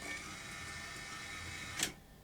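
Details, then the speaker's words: Grundig SVR4004 VCR after repair: smooth steady whirring of the tape transport through playback, stop, rewind, fast forward, ending in one firm click at power down; mechanism running normally. "down looks good let's uh see if we get a picture out of it"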